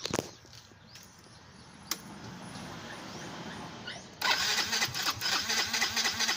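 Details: Yamaha Mio i125 fuel-injected scooter that died mid-ride and still fails after a new regulator and battery, engine light flashing code 8, battery not charging: the starter whirs and churns but the engine never fires.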